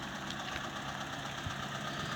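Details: Mitsubishi E-Car 1.5 4G15, automatic, idling after vacuum conversion fix for rpm dropping with A/C on, in gear or steering: steady, even idle with a smooth low hum and no dips or stumbles; idling normally.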